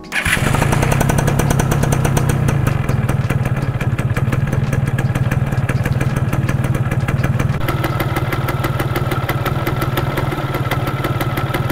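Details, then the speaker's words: 1999 Yamaha F1ZR Limited Edition two-stroke, restored, idling on the stock unmodified exhaust with standard oil-pump setting and thin smoke: crisp, even idle with a steady popping beat, no misses or rattles; engine running healthy. "Jadi suaranya seperti itu ya, masih halus. Kemudian kalau suara knalpot standar yang belum bedel itu ternyata enak ya didengerin ya, itu renyah banget."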